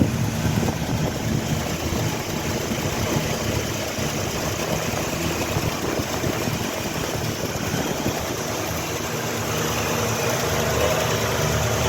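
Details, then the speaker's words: 1967 Ford Mustang V8 at idle after the carburetor needle adjustment, with small dirt particles noticed passing: smooth, even idle with a steady low rumble, much quieter than before, with background wind hiss; normal idle. "Elle est quand même beaucoup plus silencieuse. On entend le vent toujours, mais là, c'est normal."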